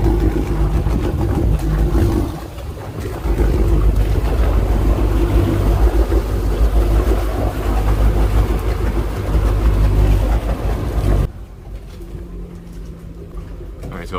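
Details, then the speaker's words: Tiara 43 boat, three Yamaha outboards fired up after centre engine battery replacement to check they sound the same: low, even burble with no misses or knocks before shutting off; all running normally. "what we're gonna do is uh fire these three up make sure they all sound the same"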